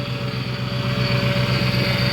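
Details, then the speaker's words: 2008 Ford Expedition idling after replacing the rack and pinion and lower radiator hose and refilling fluids: steady mid-pitched whine over an even idle from the power steering pump, with air still being bled from the steering system. "that noise is the power steering pump down there so I added fluid I added a coolant I added oil so I'm letting it run"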